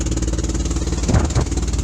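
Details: Daihatsu Fourtrak pickup: rough, lumpy low rumble with uneven chuffing pulses at idle; a sick-sounding engine that blew its head gasket, before an engine swap.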